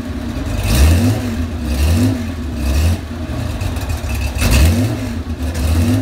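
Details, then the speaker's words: 35-year-old Porsche 911 SC 3.3 wide body with M&K exhaust headers and PMO carbs, cold start: revs uneven in bursts with sharp exhaust pops; backfiring and smells rich when cold, smooths once warm; cause not yet found. "As you can see, she's a little temperamental when she's cold. Sounds like I got some backfiring going on. Smells like it's running a little rich."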